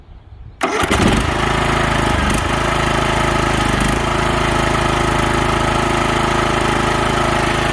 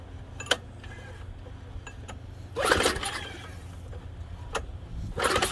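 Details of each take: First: DR field and brush mower converted to snow machine, after repair with cotter pin and washer, in neutral; catches immediately into steady even single-cylinder idle, no misses or knocks; runs healthy. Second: Junk MTD snow thrower, primer used, fuel not smelling bad: a few short pull-cord cranking bursts, the engine turns over briefly each time but never catches or runs; a no-go, so the electric starter is tried next.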